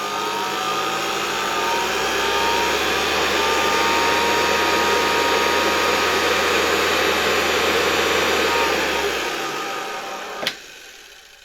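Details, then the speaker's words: Zelmer 268.6 (1989) vacuum cleaner, type 300 motor after bearing replacement, bench test at reduced voltage via regulator: smooth steady whir at even pitch, clean spin-down; works well, bearings quiet. "We turn it off. It works quite well, even with such a significantly lower voltage."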